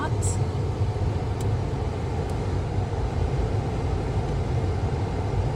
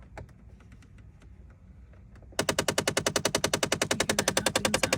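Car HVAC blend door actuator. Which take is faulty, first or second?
second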